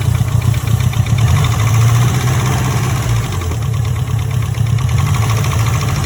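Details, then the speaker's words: Mitsubishi Evo 4 at 167,000 km, at idle after its first drive: deep idle with a rapid, steady tapping at engine speed, a knocky motor. There is an oil leak and the oil pressure light is on; cause not pinned down. "the motor sounds very knocky I must say I'm not too happy with it"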